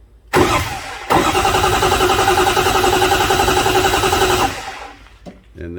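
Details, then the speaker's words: 2005 Ford F-350 6.0 diesel with a misfire, cranking during an amp-clamp relative compression test: steady starter pulses, about four per second, with no missing or weak humps. Compression is even, so injector problems are suspected. "well there's no missing humps or irregularities in any of those"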